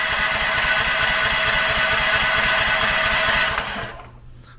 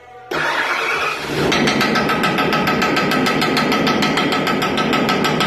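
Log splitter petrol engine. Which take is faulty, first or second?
second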